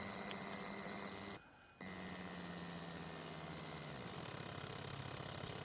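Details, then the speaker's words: Berdair pump driven by an adjustable PWM signal generator at 15% duty cycle: steady low hum with a thin high whistle; motor whine that disappears around 30% duty, frequency-dependent. "go back to the 15 percent we still have that wine"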